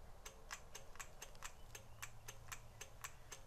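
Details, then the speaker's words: 1999 Honda Valkyrie Interstate, not run for years; light even click repeating about four times a second with no cranking, from the headlight interlock relay that cuts the headlight while cranking; possible poor kill switch contact. "it doesn't seem to be coming from here it doesn't seem to be coming right from here something else is going on here well anyway let's let's test that yeah you know what that is that's the head Lane interlock relay turns your headlight off when you crank"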